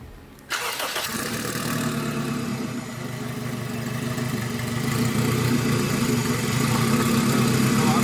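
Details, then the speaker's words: Acura RSX, K20 with stock turbo kit, first startup after build with fresh oil and coolant: brief crank, catches at once, smooth even idle with steady low hum; normal start and idle. "all right guys so we had a super successful day we did the first startup everything went really smooth the engine sounds really good"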